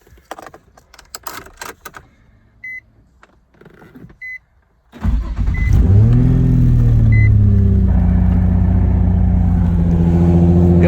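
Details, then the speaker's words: Nissan 350Z after fixing starter crank-no-start problem: key clicks and two dash chimes, brisk crank catches at once and settles into smooth, even idle; starter working properly. "that sounds so much better than a rolling start you know what I mean"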